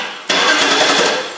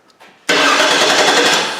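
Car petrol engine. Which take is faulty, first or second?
second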